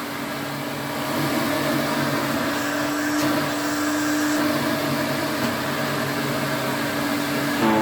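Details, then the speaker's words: 1980s Electrolux Twin Turbo vacuum (Z517/Z521, 550 W motor) with an aftermarket belt: steady motor hum with a bright whine and squeak as it slows. A very worn motor spindle lets the belt drift, and the belt will eventually snap. "It runs, but you'll hear a bit of a squeak when it slows down. So, over time, that belt will snap, but it's not too bad."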